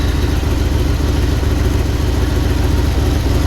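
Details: 1979 Jeep Cherokee AMC 360 V8, idling after sitting 3 years, before first drive; carburetor barely working. Low, even burble about 214 pulses a minute, no misses or ticks; owner thinks it's hitting on all 8, normal idle.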